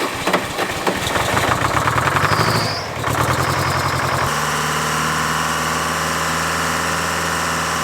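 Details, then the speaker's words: Old Oliver tractor with Detroit diesel, first cold start of the day on a chilly morning: rough smoky idle settling, then a steady high squeal over the clatter for a couple of minutes despite belt tightening; belt squeal on cold start. "can hear this tractor squealing. Tighten the belt. We've done everything, but the first time you start it up every day, it squeals like that for a couple minutes."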